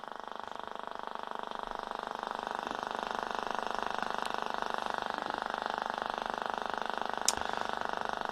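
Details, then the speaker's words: Vintage radio under repair with squelch open: steady raspy buzz pulsing about three and a half times a second from the speaker; interference suspected from nearby switch-mode power supplies, not confirmed. "sounds like we got one there there's something interfering here but I suspect it's um it could be any of these switch mode power supplies down here"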